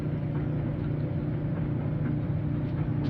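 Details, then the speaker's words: Maytag Atlantis dryer after repair with parts replaced and oiled: smooth, even low rumble with a steady hum, with none of the earlier squeak or thunk; the dryer runs normally. "if you remember how it sounded was very squeaky when I did it at the very beginning now it's been taken apart some parts replaced some things oiled boy that sounds"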